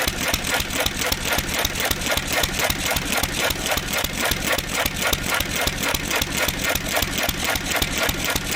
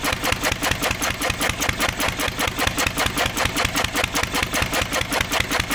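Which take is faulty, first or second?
second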